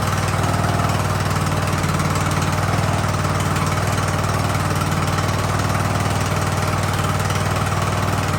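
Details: Ariens hydro-drive riding mower, sat at least two years, running in about 30-degree cold: steady single-cylinder putter at an even idle in neutral, no hunting or dying, settling and warming up smoothly; normal idle.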